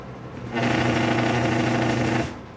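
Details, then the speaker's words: Vintage McGraw-Edison box fan, model 204002, switched on: harsh fast buzzing rattle holding about two seconds then cut off; fan not opened, cause unknown, possibly internal. "hen I tested this, it was making that kind of noise, and I didn't want to leave it on long with it making that much noise. I have not opened this fan up, so I can't tell you if that's something going on internally causing that or what."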